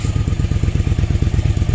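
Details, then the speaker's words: 1995 Yamaha Virago 1100 V-twin, 22,900 km, after a full carb overhaul (new float valves, needles, main jets 125 front/122.5 rear, diaphragms, pilot screws, fuel lines): deep, even thump with steady beat, no misses or clatter; runs clean and healthy. "okay this is a movie of my V roughly 1100 after break top overall now it's running pretty nice very fast"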